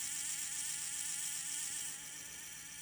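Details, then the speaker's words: 1954 Westclox orb electric clock: steady mains-pitch hum with a shrill insect-like whine from the synchronous rotor, intermittently going quiet then returning; gears not jamming, owner blames the rotor, exact cause unknown. "Yeah, this is a strange thing that's happened to my Westclox orb from 1954, and when I bought it, it was doing this."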